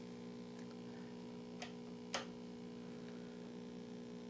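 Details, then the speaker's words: 1960s Zenith MJ1035 AM/FM tube radio brought up slowly on a variac through an isolation transformer, tuner off, volume down: steady low hum from the speaker growing louder as voltage rises; mains hum from failing filter capacitors. "ah interesting we've already got a little bit of AC coming out of the speaker maybe you can hear that and it gets louder as we bring this up"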